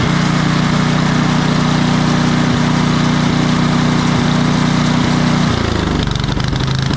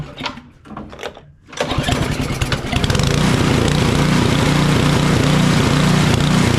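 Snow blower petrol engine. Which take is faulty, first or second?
second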